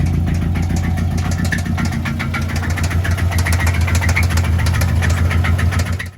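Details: Resale Subaru started in neutral on a second battery: steady idle with a regular knock about three or four per second over a deep drone; the bottom end is knocking, with a failed number-four cylinder feared but not confirmed.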